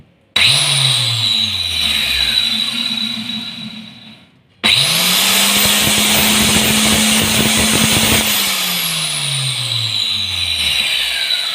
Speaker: दोस्तों no doubt ये बहुत पावरफुल है और अच्छे से चल रहा है। वाइब्रेशन है इसमें, मैं ये नहीं कहूँगा वाइब्रेशन नहीं है, लेकिन बहुत स्मूथ वाइब्रेशन